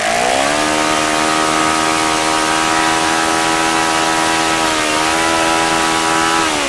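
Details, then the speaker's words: OS FS-95V four-stroke glow engine after rebuild, hand-started warm, 15% Omega fuel, 14x6 prop, OS F plug: clean steady high buzz with slight dips; nice running, easy to start. "this is a nice running engine it was very easy to start can't complain really"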